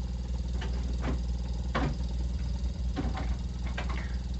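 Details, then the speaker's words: Samsung inverter refrigerator compressor after swapping motor terminals on a board showing a one-blink IPM fault: steady low hum with a gentle even pulse and a few clicks; compressor running normally while phase outputs are measured. "se escucha igual el desempeño del compresor está trabajando"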